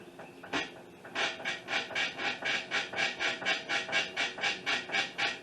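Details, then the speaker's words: 2005 Honda Accord, 270,000 miles: rhythmic rubbery squeaks about four a second from the front suspension, creaking over bumps and getting in or out, progressively worse; worn lower control arm bushings, not struts as first thought. "you hear that squeaking so i think uh when i drove it uh you know if you hit bumps or if you get in out of the car she said if she gets it out of the car it'll creak or squeak"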